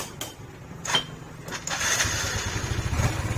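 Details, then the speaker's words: 2004 Yamaha Vega R warm idle with an even, low putter; the rough noise heard on cold mornings, suspected from the cam chain, disappears after about five minutes of warm-up. "Sebab sudah panas, bunyinya hilang dan kembali halus ini bro."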